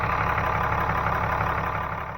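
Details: 6.7 Cummins turbo diesel just after engine fuel filter change and key-cycle priming, no leaks: even, steady diesel clatter at idle with no misses or stumbles, fading off at the end; normal idle.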